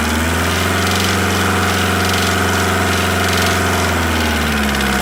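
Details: VW T4 1.9D diesel, ticking appeared after an oil change at about 2000 rpm, first suspected hydraulic lifters: steady running with a hard light double-tapping knock two or three a second; teardown found a worn piston pin, rebuild needed.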